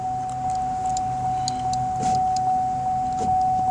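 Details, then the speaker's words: 2005 Chevy Impala power window after repairing a broken ground wire that caused buzzing; window rolls up and down with a steady even whir, constant pitch, no stalling or grinding; normal power window operation. "but sorry I noticed videos a little shaky but as you can see the window rolls up rolls down"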